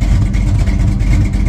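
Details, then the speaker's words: 1969 Dodge Super Bee V8 at its spring start-up after winter storage, on stale last year's gas with a carburetor that runs rich. The lumpy idle carries a sharp puffing tick on each firing pulse up front from a front exhaust header leak; the header bolts likely date from 2003. "I don't know if you can hear that header leak at the front. It's driving me crazy. I'm gonna have to fix that."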